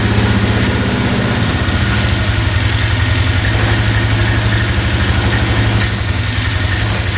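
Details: 2002 Polaris Magnum 325 4x4 ATV, bought as a non-runner needing a carb clean, first start without choke. It has a steady, even single-cylinder thump of about four beats a second, no knock or misfire, with a beeping battery; engine sounds really good.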